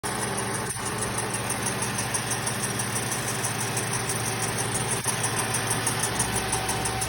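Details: 2007 Lexus IS250 V6 GDI, noise noticed after genuine Toyota alternator replaced days earlier: steady idle with faint irregular ticking about 90 a minute and a high thin tone over it; abnormal idle noise, source unclear.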